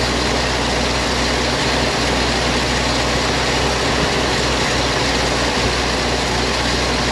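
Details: 1956 GMC 630 fire truck, 503 straight-six with carburetor, rescued off a farm, first start after priming the carburetor with fuel: heavy, even low rumble with steady hiss on top, no knocks or misses, smooth idle.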